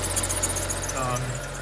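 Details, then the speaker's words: BMW 335i with N55 engine, around 70,000 km, after replacing tensioner and pulleys: steady idle with a thin high chirping squeak coming and going; water sprayed on the belt briefly silences it, so the serpentine belt is squeaking. "So guys, the the noise is still there, but this time it's a bit of a squeaking. And I think it's the belt."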